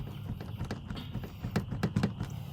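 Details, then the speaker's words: Truck with a 6.0 engine, whose cab bushings were replaced a few weeks earlier: irregular light clicks and knocks over road rumble as the doors rattle; electrical tape helped, and the door strikers are to be adjusted. "after doing those we've noticed these doors rattle you can hear"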